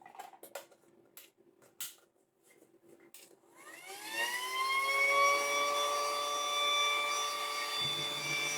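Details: Battery-powered pool air pump after spraying an intermittent connection fault: a few handling clicks, then the motor spins up to a steady high whine that holds even, starting reliably every time, fault fixed.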